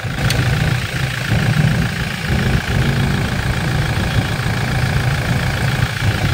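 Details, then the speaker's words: 2020 Toyota Innova 2.8 diesel, restarted after replacing the worn alternator bearing that caused a scraping noise: steady, even idle with a smooth low rumble and no squeal or scraping from the front. Normal idle, noise gone. "tahimik na tahimik na wala na wala na yung kumpo"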